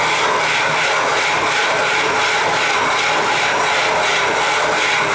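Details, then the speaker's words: 12.5-inch telescope mirror hogging with sub-diameter tool on spin/fixed-post machine, stroke overhang about half to one inch, center-deepening: gritty rasp with rhythmic swish growing quieter as grit breaks down and needs recharging with more grit and probably water. "as you can hear it's getting quieter and quieter and the grit is breaking down and it's it's suppos to uh need to be [Applause] recharged"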